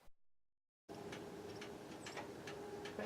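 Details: Car stopped after driving a while in New Hampshire mountains; faint, uneven light ticks every half second or so in a quiet cabin, occurring every time after stopping; source not clear.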